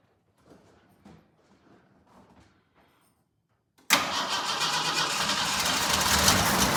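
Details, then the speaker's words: Hard cold start on a Jeep J10 with a freshly rebuilt carburetor but a non-working, unrebuilt choke. After extra fuel is poured into the carb, weak spaced cranking pulses go on for seconds, then it suddenly catches into a rough, busy idle. "So the choke actually doesn't work. Um, which I know when we were firing it before off of just a gas can, it did make it somewhat difficult. Uh, because essentially without the choke is a little bit cold naturatured."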